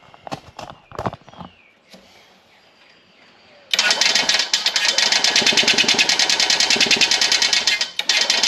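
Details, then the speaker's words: 1989 EZGO Marathon golf cart, Robin EC25-2PG 244cc two-stroke engine, muffler removed: once it fires, a harsh rapid rattle of about three beats per second scrapes from the exhaust; suspected internal damage or piston slap, not confirmed. "you can hear that noise. It's horrible. It sounds like straight scraping inside there."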